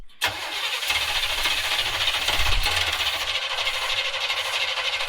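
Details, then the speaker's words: 1970s Coachman Leprechaun motorhome that ran out of gas, with fuel poured into the carb bowls; it cranks, catches and runs about five seconds, then falls away. Fuel starvation, the fuel pump not yet primed. "All right, yeah, it was just out of gas. So we're gonna keep trying to get it primed, get the fuel up to the fuel pump, and then hopefully it'll start sucking up."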